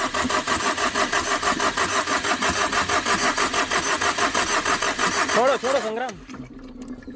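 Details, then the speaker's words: Tata Vista that overheated after an underside impact knocked off the radiator hose: fast, steady starter churning about three beats a second for several seconds, never catching, then stopping; cranks but won't start after about two cranks. "तो आप देख सकते हैं लगभग दो prank हमने किया लेकिन इसके बावजूद भी गाड़ी स्टार्ट नहीं हो रही है"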